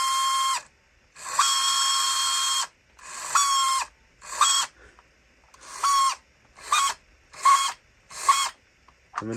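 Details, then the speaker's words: Vintage Go Aerial RC buggy run with no weight on it. Short bursts of high motor whine with a raspy, gritty edge on each spin-up. Owner suspects stripped gears, likely the small pinion gear; not confirmed. "it appears to work so I guess when it doesn't have any weight on it it does that it uh sounds like a strip in the gears"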